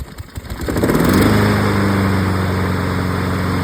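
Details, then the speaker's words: Honda HRN lawn mower with bag system, started with a few pulls, then running normally: smooth, steady hum with an even beat. Healthy normal running. "the lawnmower is running, and when I press this button, it should move the wheel."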